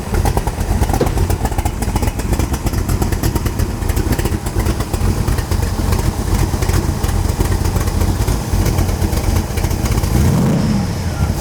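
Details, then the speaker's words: 2001 MKIII Shelby Cobra Superformance replica V8, after a new fuel pressure regulator, fuel lines and fuel pump. A deep, loud, lumpy rumble holds steady with no misses, knocks or fuel-pump whine; the engine runs cleanly. "like a race car."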